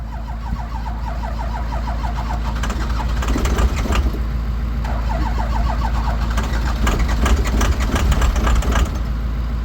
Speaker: Let it run on the starter a little bit, but once you hear it start taking. Oh, come on, baby, start.